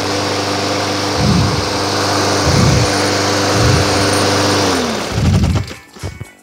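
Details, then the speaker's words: Craftsman lawn mower after fixing heavy vibration: steady single-cylinder drone that dips briefly as the blade bites into grass and recovers cleanly; mower runs smoothly and cuts well. "it is cutting super well right now"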